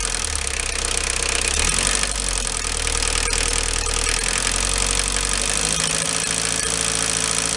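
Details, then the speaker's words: Renault 21 turbo diesel at 180,457 km: a hard, uneven metallic clatter at about four knocks a second on acceleration, heard in the cabin and unchanged for 2 years. Rockers were adjusted; the owner says it is not a rod or bearing. The cause is unknown. "Voilà, ce bruit-là, là. Je l'ai eu en accélérant il y a 2 ans."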